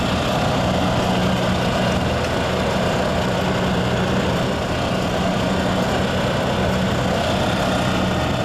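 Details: Yamaha G2 golf cart small single-cylinder engine after a tune-up (carburetor, air filter, spark plug), started from cold in neutral, the first cold start in 6–7 years: steady, even putter at idle with no stumbling or surging; normal cold idle.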